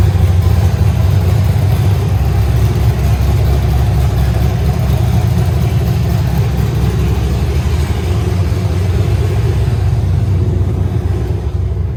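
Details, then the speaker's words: Truck being swapped to a turbo 6.0 with a 4L80E, four-wheel drive, smogged today; entire exhaust and Y-pipe removed: deep, loud, raw V8 rumble holding steady with heavy low-end roar and no muffling on open headers in an uninsulated shop. "good lord i mean it's loud i mean you expected that but it echoes pretty bad in here"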